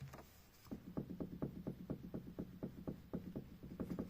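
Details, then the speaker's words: Haval F7, engine off: light hollow plastic knocks about twice a second as the loose coolant (antifreeze) reservoir rocks in its three-point mount; not heard from cabin or when running, owner fixes the loose tank. "Но мне что-то не понравилось, что вот так болтается, он и стучит."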